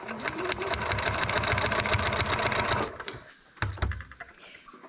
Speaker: I probably need a new needle in this machine too you can hear a loud sound when it's puncturing the paper